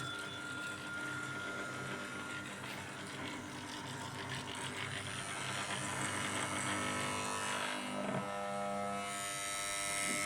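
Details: Fireball pinball machine powering up: constant electrical buzz with steady tones and faint rapid chatter, machine never starts properly. Buzzing on power-up.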